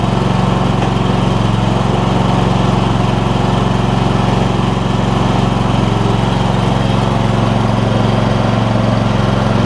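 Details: John Deere E140 lawn tractor with a newly swapped-in Briggs and Stratton V-twin engine: steady, even, slow idle beat with no misses; idle sits a little low.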